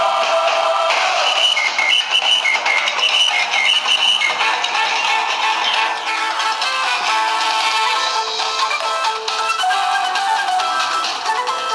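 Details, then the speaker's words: Samsung Galaxy BEAM phone loudspeaker with music turned up: thin and harsh with no bass, rattly and distorted; the speaker is buzzing instead of playing cleanly, which may be fixed by removing a part or replacing the back cover. "so I will put the sound up and you hear how shitty the sound quality"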